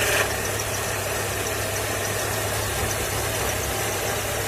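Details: Engine at idle: steady low hum over even idle, no knock or rhythm change; owner cannot tell the source of the hum.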